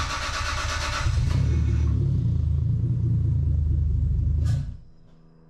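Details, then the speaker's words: First start of a 2JZ engine swapped into a Mk3 Supra, not yet tuned for fuel: it catches and runs rough with a lumpy low rumble for a few seconds, then dies. The computer reports it is not getting enough fuel, a lean misfire. "the computer's saying we're not getting enough fuel because it's not tuned up for the fuel yet"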